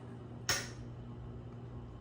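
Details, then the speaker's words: 52-inch Hampton Bay Air Cool ceiling fan, 153 mm motor, running about 220 RPM on high after WD-40 on the bearings and several hours' break-in: soft steady hum, no grinding, one stray click; bearing noise nearly gone. "Again, the bearing noise has all but disappeared."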